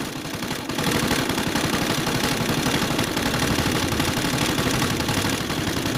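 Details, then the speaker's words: CG 150 motorcycle engine idling with a deep, hollow knocking about four per second, like a stone rattling inside and not a valve sound; teardown traced it to a broken pushrod. "vez suena como si tuviera una piedra adentro y ese sonido no es válvula ese sonido Así que vamos a desarmar para ver por qué ese ruido porque ese ruido no es como dije de válvula este más más profundo"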